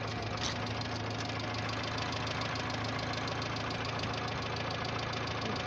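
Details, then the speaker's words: Renault 9 engine at idle: steady fairly quick knocking above the engine hum; clear engine knock, owner suspects worn bearing shells (вкладыши), not confirmed. "в общем есть явные признаки стука и мотор мабуть скорее всего вкладыши"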